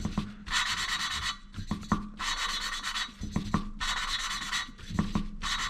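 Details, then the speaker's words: Valve lapping on a cylinder head: gritty rasping strokes in bursts, with light taps as the valve is lifted and turned around the seat. The rubbing quiets as the seat laps in and gets louder after each reposition. Normal. "You can hear, as the more I do it, the quieter the rubbing sound will get."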